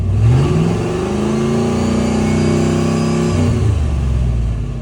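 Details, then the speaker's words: 1991 Ford F250, 351W, carb-swapped with a Holley: deep V8 rumble revving smoothly, holding steady and dropping back to idle with no stumble, tick or knock; a healthy engine. "she sounds good, you know. The neighbors probably hate me, but you know."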